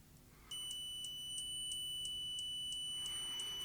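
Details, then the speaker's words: Low-cost multimeter on continuity test (compared with Parkside DM300 C3): high tone broken by regular clicks about three a second as meter samples, can give misleading results; should be a solid beep. "as it's sampling it's clicking and depending what your testing that could give you misleading results so you never want to hear that clicking noise you always want the continuity to be as solid beep"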